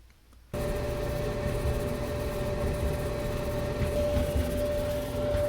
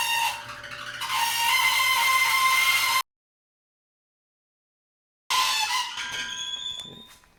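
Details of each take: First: Maytag Bravos XL dryer (model MEDB855DC4) after idler pulley and bracket replacement to fix screeching: starts up and runs normally with a steady low rumble and faint even hum, no screech. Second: Maytag Bravos XL dryer (model MEDB855DC4) running with a loud, steady, high-pitched screech from a dry, failing idler pulley bearing, before idler pulley replacement.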